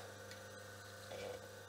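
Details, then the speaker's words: Myford lathe 4-pole motor (plain oil-wick bearings) run directly on 50 Hz, about 1425 rpm: soft, steady low hum with no rumble or scraping, quite silent. "so switching on the motor here here it's quite"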